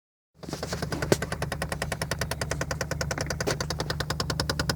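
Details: 2003 Saturn Ion with 81k on it: fast, sharp, even clicking about nine or ten a second over a low hum, seemingly from the heater fan area. It stops when recirculation is pressed, sometimes returning and varying in speed. Cause unknown.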